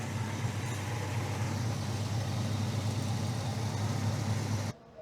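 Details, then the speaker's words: 1962 Ford Thunderbird 390 with three-speed automatic, after an alternator swap to a GM one-wire unit and a textured belt to stop belt slip: steady engine hum with no squeak, charging at 14.3–14.4 V; normal running. "So, it's able to actually bite on the pulley and now we have no squeak."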